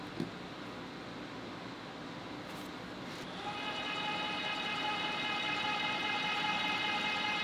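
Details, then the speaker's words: Electric tapping arm with rigid tap holder (no clutch) and spiral flute tap cutting 3/8-16 thread: quiet start, then steady even-pitched motor whine without strain; normal, clean tapping run. "so super easy to tap it like I said I could definitely adjust that clutch even heavier on this one it has no problem doing it"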